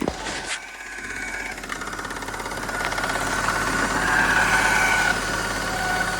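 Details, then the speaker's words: BMW E39 Touring awaiting LS swap, after start-up: thin wavering whine over engine beat, not cured by oiling; owner suspects power steering, oils it; reservoir fluid has flakes and system is bled of air. "that didn't help at all maybe it's the bottom one maybe it's power steering there is one right there"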